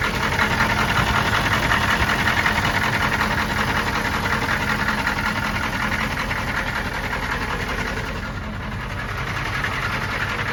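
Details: 1993 M998 HMMWV, 6.5L naturally aspirated Detroit diesel, cold start and idle: a steady knock of two to three per second over the clatter. The engine ingested water on a crossing and lost compression; owner assumes hydrolock and a bent rod, unconfirmed.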